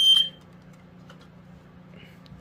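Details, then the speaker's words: Montgomery Ward 84-7 smoke alarm from the 1980s, a BRK 79R-based ionization unit with a piezo horn. A sharp, high piezo shriek of about a quarter second sounds as the battery is inserted, then silence: a normal brief alarm on battery insertion. "it goes off when you place in the batteries as usual it just contacts the sensor like this"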